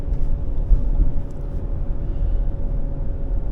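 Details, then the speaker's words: 2007 Ford Ranger 3.0L with A/C, after replacing the idler pulley and refitting the original serpentine belt: low, steady rumble while driving, silent at idle from inside, and no belt squeak; the old idler pulley was the likely cause. "it sounds decent enough at regular Idol sounds dead silent from inside the car the real test is going to be moving it down the road a little bit well I don't hear the uh belt squeak"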